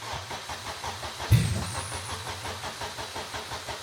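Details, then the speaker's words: Toyota MR2 with swapped K24 engine on Haltech Elite 1500 ECU, first start attempt, 58 psi fuel pressure with a fuel leak: steady rhythmic cranking with one brief half-fire cough that never catches; crank no start, possibly wrong ECU settings. "we are leaking fuel she almost came to life yeah dude she very almost came to life"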